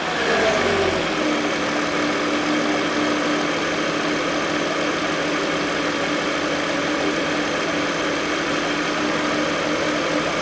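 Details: 2011 Chevrolet Epica 2.0 automatic at idle after replacing the drive belt, idler and tensioner pulleys: steady even hum with no squeal, chirp or rattle from belt or pulleys; healthy engine.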